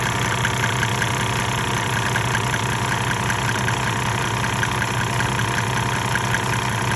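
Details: 1998 Mercedes-Benz E300 OM606 diesel, 185,000 miles, hot, at 9,000 ft, during Diesel Purge, smoking: uneven, lumpy idle clatter with ticking about two to three times a second; rough idle, owner suspects injectors.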